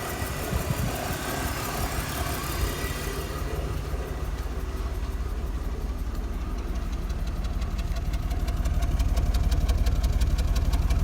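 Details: BMW E46 with a low, lumpy idle and a steady stumble roughly twice a second. Cylinder 3 misfire, fault code P0303.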